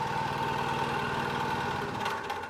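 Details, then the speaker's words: Beam test rig with counter-rotating imbalance masses on a speed-controlled motor, as a single-degree-of-freedom system, excited near its natural frequency of about 19.5 Hz: a steady motor whir over a fast, heavy throbbing buzz as structural resonance sets in. "you can start to hear there's much more vibration this is our single degree of Freedom system natural frequency actually occurring at around about 19.5 Hertz"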